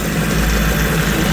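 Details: Mercury 25 hp outboard after carburetor rebuild, tank test: smooth even low burble with no misses or knocks, steady throughout; idling cleanly.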